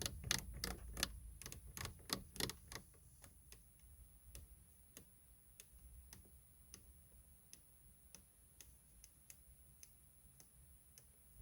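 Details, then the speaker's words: Saab 9-3 (new generation) menu knob wheel after spraying WD-40 on the contact: crisp, evenly spaced clicks, about three a second, as the detents engage cleanly; knob working again, though sensitivity was lost again after about seven months. "to my surprise it actually made a big difference it worked you could also hear the clicking when the knob wheel is turned again"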